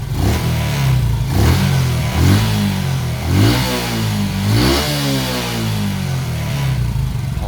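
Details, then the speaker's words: Smash 115 with carb and stock regulator, choke spring repaired, new battery: repeated blips settling to steady idle, clean revs, no exhaust popping; idle now stable after repair. "Wala na pumuputok sir ha. Wala na pumuputok sa tambucho at stable na yung minor niya kahit na-rev natin."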